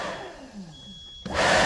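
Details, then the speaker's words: CAT 257B skid steer with weak or no AC airflow, during AC repair after refitting a switch connector: a click, then a steady even rush of air with no squeal or rattle; blower now runs normally on low. "So we now have AC, the fan blowing."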